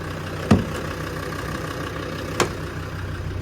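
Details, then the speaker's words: 2000 Land Rover Defender 90 Td5 turbo diesel, low mileage and fully serviced, started after glow plugs and fires right off: steady, even idle with a low regular rumble and a couple of stray clicks; burns clean, sounds good. "She burns really clean. Sounds good."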